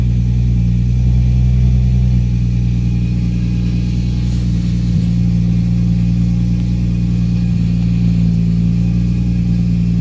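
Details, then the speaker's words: Nissan 350Z with VQ35 V6 just started after a battery replacement aimed at a misfire; alternator, spark plugs and coil packs had been replaced earlier. Steady, even low rumble while warming up with no skips; sounds better, no misfire anymore. "Sure sounds better. Doesn't sound like it has a misfire or anything anymore."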